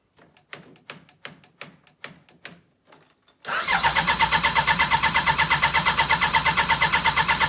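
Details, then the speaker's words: Yamaha RS Viking snowmobile after a carb clean, warmed up indoors: about ten spaced cranking puffs, then it catches cleanly and settles into a steady, even, quick tick-over with no stumbling. This is a normal start and idle, with no rough running after the summer. "Perfect. That's what it should sound like. None of this when you fire it up."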